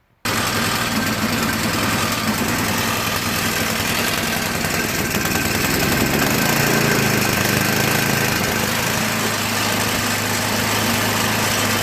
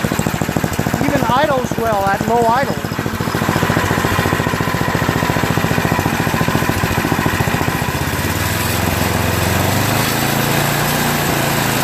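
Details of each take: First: MTD Yard Machines 8HP 24-inch snow blower, overfilled oil flooded carburetor, crankcase and combustion chamber, electric start: steady small-engine drone with rough uneven beat and slow rise and dip in speed; surging from oil-fouled carburetor. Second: Yard Machines MTD 8HP 24-inch snowblower, after rerouting of the cracked oil breather overflow tube that had been leaking oil: an even, steady single-cylinder thump, about three beats a second, with no misses or surging. Normal running.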